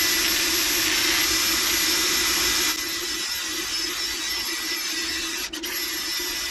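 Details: Shop heater running while an S3L2 engine is prepped for a Caterpillar 303CR excavator: constant hissing roar with a steady low hum underneath, no rattles or surging; heater running normally.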